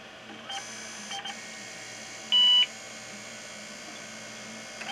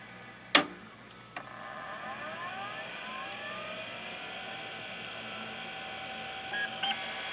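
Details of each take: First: IBM PS/2 Model 30 (8086, 8MHz, 20MB hard drive), heavily used and long unused: single short clean beep over faint fan hum, POST completed normally despite abnormal hard-drive scraping heard earlier. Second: IBM PS/2 Model 30 (8086, 20MB hard drive), long unused, at power-on: click, then rising spin-up whine with scraping rough edge and a short beep; hard drive sounds abnormal, though POST completes.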